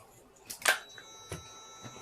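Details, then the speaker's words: Repaired 1995 Mercedes SL500 electronic throttle body bench-tested on an e-gas module rig: a click at power-on, then a faint steady high hum with no rattle or buzz. Motor powered, opens normally. "You can hear throttle body is humming, and when I move the lever, it obviously opens."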